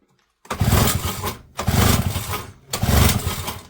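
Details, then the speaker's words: Small JLO two-stroke engine from auction, full throttle, no choke: three pulls each catch about a second with rough firing then die; plug wet, owner suspects flooding or lost spark, carb to be removed. Starts briefly but will not keep running. "I wonder if that's just flooded with all the crap I put down there."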